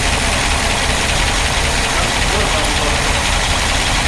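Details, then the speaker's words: Old car in the shop (1957 Ford Thunderbird or 1968 Dodge Charger) started after power steering work to check for leaks and top off fluid; steady even idle with no pump whine or groan; pump running quietly. "Start it up and we'll steer it and make sure nothing leaks and get the fluid topped off."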